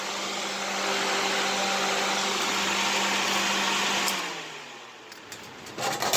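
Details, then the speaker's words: Vintage small window fan running at high speed; steady motor hum and strong rush of air, even and smooth, then winds down cleanly; fan is healthy. "this one's awesome that runs super fast"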